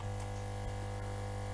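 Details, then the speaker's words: Compressor running without its cover after rotted rubber mounts were replaced with garden-hose cushioning: low, even hum, no rattle or buzzing surges, minimal vibration; normal running. "Тихонечко себе. Вибрация минимальная."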